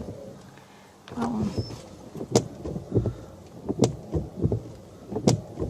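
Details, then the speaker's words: 2009 Renault Grand Scenic III: noisy windscreen wipers judder and squeak despite nearly new blades, a juddering thump at each sweep end over the wiper motor hum. "so you've got one of these cars and you've got a problem with your windscreen wipers making a noise"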